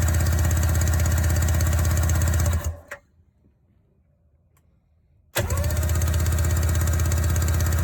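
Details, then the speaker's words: 1994 Sea-Doo SPX, sitting since 1996, after WD-40 in cylinders: two spells of steady, even cranking at about three pulses a second; healthy compression. "i guess we just need to run it out a little bit at least another compression is not low so that's all that really matters here"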